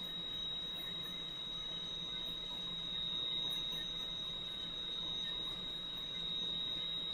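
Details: Valve grinder refacing a valve face with lubricant flowing, stone run back and forth: clean, steady high-pitched squeal holding even as the wheel dresses the valve face; the grinder is cutting normally.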